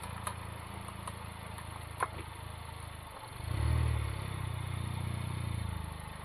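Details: Sharp, irregular clicking ticks from the front passenger wheel of a Honda Civic Type R FK8 when turning, over a low idling engine with a brief rev as the car moves; the CV boot and joint look intact.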